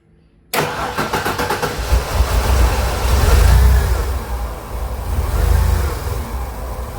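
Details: 1999 Ford Econoline with a 4.9L inline-6, commercial vehicle, no check engine light, drives OK: after starting, the idle sags and surges in slow waves, struggling to keep running; the MAP sensor reads 90 instead of about 112 under vacuum, so it's faulty and will be replaced.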